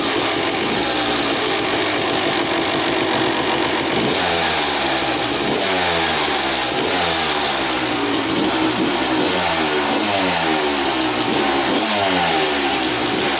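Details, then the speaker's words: 2000 Suzuki RM250 two-stroke after welding the underside of the expansion pipe: sharp idle crackling into repeated clean revs rising and falling freely, no leak hiss; weld holding, run about 10 minutes, oil not milky. "the pipe is fixed on the bottom it doesn't leak out there so the weld is holding up good"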